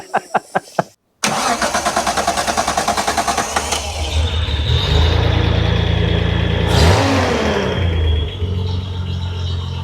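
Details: Restored 1971 Datsun 240Z, after a mud dauber was found in the hard line: a few seconds of steady cranking, then it catches and settles into an even idle. It starts cleanly with good oil pressure, ready for its first drive.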